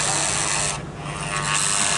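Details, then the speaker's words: 2003 GMC Yukon transfer case, selecting 4-low with the case in neutral and lights flashing: thin electric whir that dips and picks up with no clunk of engagement; shift motor runs but the case doesn't switch, gears or transfer case suspected. "Millis flashing and all we hear is this motor okay they quit flashing but it did not switch"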